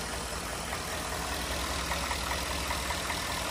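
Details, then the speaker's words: 2014 Ford F-150 4x4 XLT, 5.0L V8, after cold start, new battery fitted and oil checked: quiet, even idle with a smooth low hum, no ticking or knocking, no unusual noises; healthy. "we're going to do this little checking out of the engine to see how it sounds really good to me no unusual noises"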